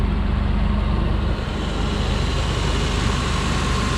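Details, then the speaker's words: 1996 Ford Ranger 2WD 4.0L V6 at idle after a top-end overhaul and new exhaust manifold bolts, with normal gauges: a deep, even rumble with no ticking, knocking or exhaust leak; normal idle. "there she goes guys sounds good our exhaust leaks give you a little wrap perfect super clean guys super clean sounding"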